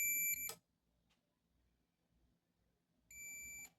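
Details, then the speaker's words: Multimeter set to continuity, probe tips touched together while testing a microwave oven with a buzzing, short-like noise: two clean steady high beeps about half a second long, three seconds apart; continuity check working normally. "Então quando ele bipa significa que ele está colado, está selado. Você vê que aqui ele não bipou, era para ter pipado."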